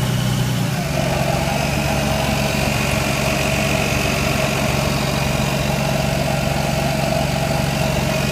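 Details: Lexus IS300 idling: once shifted into Drive the idle deepens and a fast buzzing rattle sits over it at standstill, gone in Neutral and above 10 mph; owner suspects transmission.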